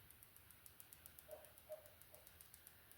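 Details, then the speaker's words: Nintendo Switch Lite after replacing the R shoulder button and flushing flux out with 99% isopropyl alcohol: light, crisp clicks two or three a second, evenly repeated; normal button click restored. "just keep pressing that button that'll help get rid of the flux trapped inside and you'll hear the click starting to come"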